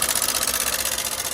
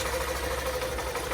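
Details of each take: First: Hero Super BS6 motorcycle engine found with no engine oil at all and a rusted spark plug: a rapid, even metallic tapping of about ten per second over the idle; top-end clatter, suspected from oil starvation. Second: Hero BS6 motorcycle, found with no engine oil and rocker noise suspected, after repair, in neutral with loose chain: short steady idle with an even putter and no tapping or clatter on top; normal idle.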